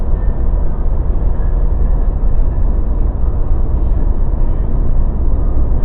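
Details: Mazda BT50 pickup driving after the fix (upper ball joint replaced, fresh differential oil, following earlier drive shaft cross joint and center bearing work): steady low road rumble, no clunks, knocks or grinding; drivetrain and front suspension sound normal.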